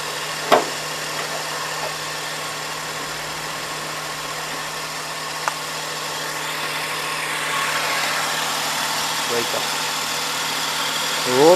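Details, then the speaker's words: 2006 Suzuki Wagon R idling with fan belt removed: thin steady whine over the engine, unchanged by air conditioning; suspected water pump bearing, replaced along with AC compressor and fan belt, after which the noise was gone. "ウォーターポンプからちょっと音が出てるんでね、それがやっぱ交換だと思いますね。"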